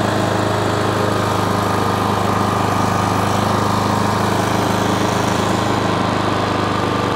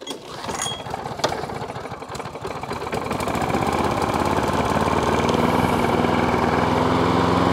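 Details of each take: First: Self-propelled lawn mower after its drive cable was adjusted at the brass collar. The small single-cylinder engine runs steadily at a fast pulse with a slightly uneven beat, and the carb wants a bit of a tune; uneven running. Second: Self-propelled lawn mower started on choke after a drive cable adjustment. The small petrol engine catches after a few rough seconds, then settles into a steady, even run with no knocks; normal running.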